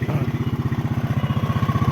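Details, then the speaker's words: 2009 Yamaha Mio scooter: an even, steady putter around thirteen beats a second with no knocks or rattles and no exhaust smoke; the single-cylinder idles smoothly. "Hidup. Aman. Mesin halus ya. Halus mesinnya seperti ini."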